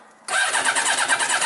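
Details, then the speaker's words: Yamaha Diversion, probably 600, carbureted, not starting after garage chain and sprocket work, new plugs, fuel pump working: starter spins with quick, even chuff but nothing fires; carbs suspected starved of fuel. "Okay. So, it doesn't want to know. So, that's fine. Um, so we've got fuel coming through."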